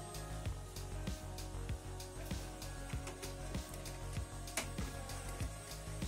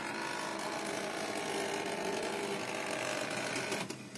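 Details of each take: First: HP Pro M132 scanner after its noisy, crackling scan motor was replaced with one from a donor unit: even whirring as the scan bar travels and stops cleanly, with no crackle or grinding. Operation is normal. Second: HP LaserJet Pro M132 scanner unit copying with lid open; steady mechanical run with harsh crackling, buzzing noise as the scan bar travels; scanner carriage motor crackling.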